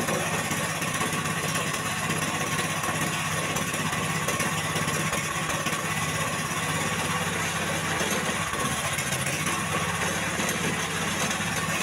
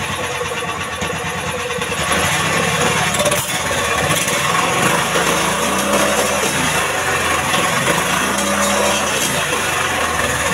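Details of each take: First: Jarwo Crown rice transplanter small petrol engine that was hard to start, test run after carburetor work: uneven, lumpy, limping idle beat at first start; rough running from an over-rich carburetor mixture. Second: Indo Jarwo Crown rice transplanter engine, previously hard to start, after carburetor fuel mixture adjustment: settles into steady even running with clean revving, no stumbling or misfire; normal running.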